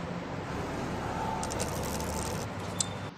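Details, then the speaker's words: Motorcycle chain kept clicking even after tightening; after applying a little oil, rear wheel spins with an even, quiet whir, no clicking or grinding, chain running smoothly. "यह देखिए दोस्तों इसमें सिर्फ थोड़ा सा oil लगाने की ही कमी थी और सही हो गया"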